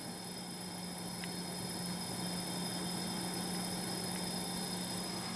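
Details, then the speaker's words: Pellet/biomass boiler that shuts down on a low water pressure alarm, during startup ignition sequence before adding pellets: even steady fan whoosh with low constant hum, no knocks or scraping; normal startup fan. "Encendido. Está preparando la secuencia de encendido. Ahora lo que va a hacer es añadir pellet, comprobar que todo esté bien en el sistema"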